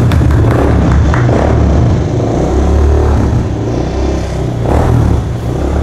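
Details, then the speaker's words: Kawasaki Estrella 250 (W250) single-cylinder cafe racer at startup after the build: uneven coarse rumble and irregular pulsing after running a while. Rough engine noise; owner fears it could worsen or fail, cause not stated. "Cuman setelah beberapa lama dihidupin, suara mesinnya gue dengerin itu kayak kasar gitu cuy."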